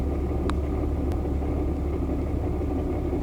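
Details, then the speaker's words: 2016 Audi S5 B8.5 supercharged 6-speed manual with new JHM stage 3 clutch, mic in the footwell, idling with pedal released. Low, rough idle with uneven diesel-like clatter that goes quiet with the clutch pressed. Clutch rattle at idle. "It is for sure the clutch though, because when you put the clutch in, runs completely fine, sounds normal. It does sound like a diesel when it's just chilling now though."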